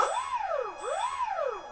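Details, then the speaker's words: E-flite Apprentice S 15e RTF electric RC airplane motor tested with the prop removed and the throttle nudged: a clean tone sweeps up and down twice, smooth with no rattle or grind, showing the motor and electronics are healthy. "the motor is turning about the prop on motors working so electronically this airplane is good to go"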